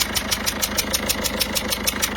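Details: Peugeot 207 HDi diesel at idle: sharp hissing chuff about six times a second, one per cycle, over the idle; leaking injector seal blowing compression, before the seals are replaced.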